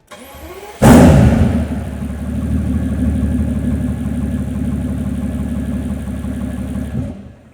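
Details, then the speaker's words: Mercedes S65 AMG M279 V12 first start after full engine rebuild (previous owner ran it without oil until it locked up): brief crank, sharp flare, then smooth, even idle with no knocks or ticks; healthy engine. "And she sounds sweet and amazing. Ho, ho, ho. I think this thing needs straight pipes."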